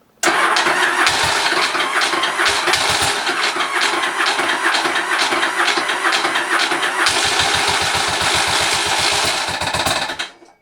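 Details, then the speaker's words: Motorcycle engine on test after the oil baffle was moved to the front. It runs with an uneven, lumpy beat and a light tick; the rear cylinder is not firing. Owner cannot identify the ticking and suspects something is loose. "again I hear the ticking this is really strange it's also the rear ceiling that doesn't even work the rear cylinder doesn't do anything"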